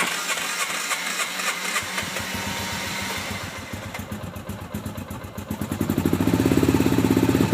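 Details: Hard-starting RZR, in park, with smoke coming from the back: rough, uneven firing that stumbles before catching and settling into a faster, steadier idle; slow to start, cause unknown.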